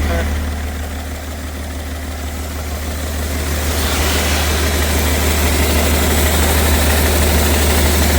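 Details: BMW 330d, M57 diesel, down on a couple of cylinders with heavy blow-by and running away, oil found in the intake: rough lumpy idle chuffing about three times per second with a building hissing rush; blown turbo, melted pistons.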